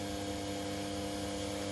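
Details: Chester Conquest Mini Mill converted from broken plastic gears to belt drive, speed set about halfway: steady, even motor hum with constant whine, no knocks or rattles; spindle runs smoothly.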